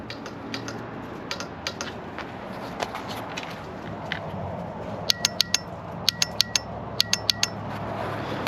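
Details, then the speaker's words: 1993 Kawasaki KZ1000P giving only sharp single clicks in small irregular bursts with no cranking after starter solenoid replacement; starter click, no crank, owner plans starter rebuild, cause unconfirmed. "so my new bike doesn't start just goes click as you see saw just now we've already replaced the starter solenoid"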